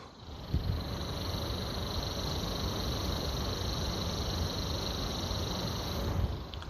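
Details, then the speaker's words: PS3 Slim cooling fan run at 5 volts, recorded on the left microphone: steady spin with a dry, scratchy hiss and a thin high whir from the bearing. Worn, dry fan bearing noise. "Now you can hear the bearing. It makes a noise like... Left microphone."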